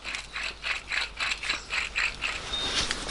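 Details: Rear wheel bearing from a 2014 Hyundai Santa Fe 2.2 diesel, noisy for about a month, spun by hand off the car: a dry, gritty ratcheting rasp pulsing three to four times a second, a worn rough bearing being replaced.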